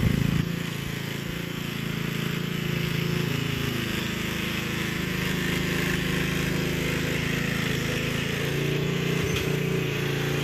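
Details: Gilson rear-tine tiller, a junkyard find from 4–5 years back, test run after cleaning dirt out of the sticky recoil. Single-cylinder putter at a steady buzzy pace, dipping slightly as the tines bite. Sounds healthy under load. A fuel leak was noted at the tank/carburetor seam.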